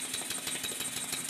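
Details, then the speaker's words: Stuart 10H model steam engine during break-in runs, timing not yet perfect, crankshaft still bent and engine a little tight: quick airy chuffs about six a second, unevenly spaced and uneven in strength; by ear the slide valve is mispositioned relative to the ports. "I can tell by ear that the slide valve is not in the right place relative to the ports, and for that reason I disconnected the eccentric rod from the valve fork."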